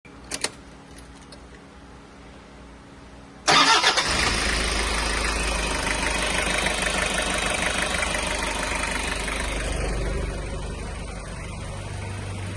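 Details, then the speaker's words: Toyota Hiace 1KZ-TE diesel after fitting new Denso OEM injectors: brief crank, catches straight away, steady even idle with very little white smoke and no knock; earlier knock fixed. "very little white smoke. I think it needs to be run, but at least it's not knocking."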